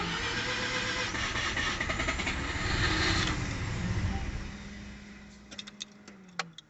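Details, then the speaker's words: Mazda RX-7 rotary that ran on one rotor, misfired heavily and died, then cranks for a few seconds with uneven firing that never catches; flooded, deflooding procedure run afterwards. "Okay, well, since it cranked and wouldn't start, it was pretty obvious that it got flooded."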